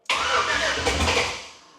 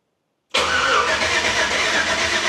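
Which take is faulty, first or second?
second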